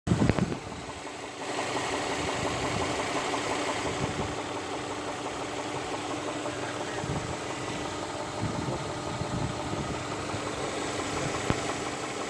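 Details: Infiniti VQ35DE V6 engine knock: steady idle with a faint repetitive tap riding over the engine note; the source isn't clear from the sound alone.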